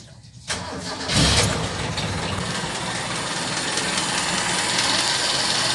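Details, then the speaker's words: Toyota engine with its 3K carburetor, last run before swapping to a 4K carburetor. Short crank, quick catch, then a smooth steady idle with no misses, and the acceleration is also good; only performance is lacking. "Okay naman tong andar nito guys. Maganda yung idle. Maganda rin yung kanyang acceleration."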